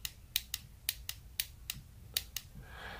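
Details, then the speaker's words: Relay bench test, voltage applied across pins 85 and 86 in a quiet room: crisp single click each time power is applied; normal relay switching, though the click alone doesn't prove a good relay, contact resistance across pins 30 and 87 still to check. "la mecánica promedio se detendrá allí, pero ese clic es solo decir que el circuito está completando no significa que es un buen relevo"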